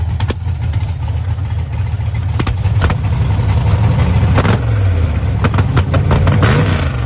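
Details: Holley EFI 5.3 LS V8 in a Camaro with a lumpy, uneven idle, irregular stumbles and clattery bursts as revs rise and fall, like cylinders dropping out; misfire at idle, owner suspects a possibly corrupt ECU file.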